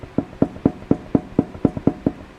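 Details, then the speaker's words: Rear wheel bearing check: wheel grabbed and rocked by hand, about ten dull clunks roughly four a second; the bearing has play back and forth, which it's not supposed to do. "I hear it there. It's going pretty like it's going out like it's having play back and forth. It's not supposed to do that."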